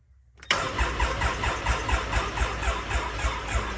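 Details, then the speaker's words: Can-Am X3 (about 800 miles) cranking in flood mode with the gas pedal held down to build oil pressure after an oil change: labored regular chug of three to four compression strokes a second. Slow cranking; owner suspects the battery, which is always dead. "Yeah. This battery is probably due for a replacement. Also, the battery's always dead."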